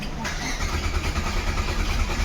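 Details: Maruti Suzuki Swift diesel that won't start, codes P1625, P0380 and antenna/immobilizer fault: starter grinds the engine over at a steady, labored pace and it never catches; crank no start traced to faulty main relay.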